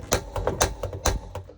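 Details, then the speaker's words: Piezo spark igniter on the two-burner gas hob of a Nu Venture Rio Micro 65 camper: sharp dry clicks, about six in under two seconds at uneven spacing; a little noisy, but normal piezo behaviour. "Piezos are a little bit noisy, but it's just the way they are."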